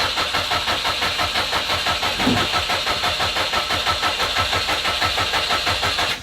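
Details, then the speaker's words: Subaru Impreza (WRX-to-STi full rebuild) on its first start attempt in 3 years: a steady starter crank of about three pulses a second that never catches, then stops. Owner suspected the fuel pump and planned to check spark plugs. "well it's not starting okay I guess we're at the point now where we check spark plugs and whatnot"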